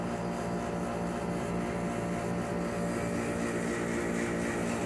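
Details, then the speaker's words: 24,000 BTU 220 V split air conditioner outdoor unit, compressor drawing about 8.29 A after a suspected capacitor fault: steady droning hum with evenly whooshing fan, no rattle or strain; compressor now running normally. "está trabajando bien"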